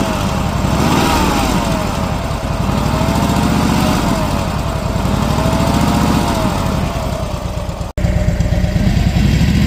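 V-twin lumping at idle with a wavering whine riding over it and a loose rattle underneath, seemingly from the primary side. Cause suspected, not confirmed.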